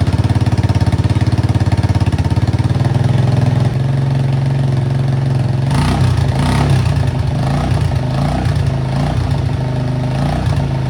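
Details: Suzuki Access scooter before repair, silencer rusted through with holes: loud, deep, raspy putter at idle that blurts harder on the throttle as exhaust leaks through the holes.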